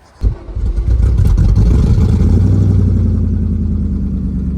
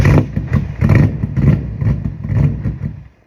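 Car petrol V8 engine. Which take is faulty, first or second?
second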